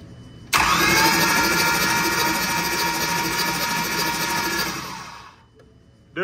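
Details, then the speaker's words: 2020 6.7 diesel with suspected CP4 fuel pump failure (lost power on interstate, engine possibly locked) spun over briefly on the starter to verify: steady, even cranking without binding, hitching or knocking; turns over freely, fuel spilling from disconnected lines. "All right, Gary's going to spin the motor over here just for a split second. We're going to make sure everything spins over just fine."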